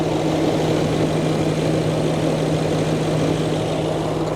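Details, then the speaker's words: Range Rover L322 3.6 TDV8 diesel, just started after fitting a genuine OEM fuel filter to cure a leak: steady, even idle with a constant low hum and no knocks, misses or hunting; normal idle. "So fired up fine. So it seems okay at the minute."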